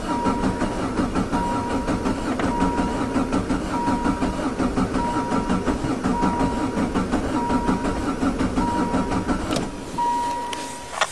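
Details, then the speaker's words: Diesel Jetta with fresh battery, glow plugs used, cold start lever down: slow even cranking that doesn't fire; corroded, leaking injector pump lets fuel bleed back to the tank, leaving air in the pump. "here we go almost it's just sucking that fuel that's ran away"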